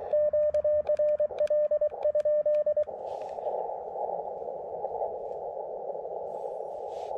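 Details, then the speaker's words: Elecraft KX2 radio on the 30 m band near 10.116 MHz with a trapped antenna, used for comparison with an LNR MTR4B; a few seconds of keyed tone then even, steady hiss, normal band noise with no pops or splatter. "this looks like normal band noise to me sounds like normal band noise to me"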